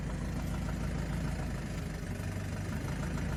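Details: 2005 BMW 320i E90, N46, automatic, held in 1st, 2nd or reverse on brake with slight revs: dull uneven knock about three to four per second, worsening, possibly also with steering movement. Owner suspects rod, flexplate or camshaft bearings.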